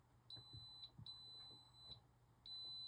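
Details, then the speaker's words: Arabian arcade game board during power supply repair: multimeter continuity beeps cut in and out as the probe touches two traces, showing a short from a tiny solder speck bridging them; readings improved once it was cleared. "Are those two traces touching each other? There's a piece of solder between them. There's a piece of solder between those two traces."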